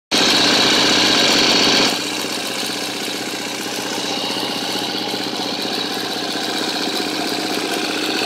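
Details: 2013 KTM 250 EXC-F Six Days idling: quick steady light ticking, about four per second, over an even single-cylinder idle from the engine; owner suspects a bad cam tensioner, unconfirmed.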